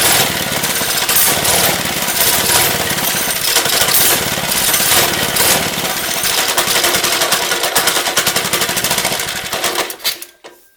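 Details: Lifan 2.5 hp single-cylinder go-kart engine, started with starting fluid: rough uneven buzz for about ten seconds then sputters and dies; stalling because the choke was set the wrong way.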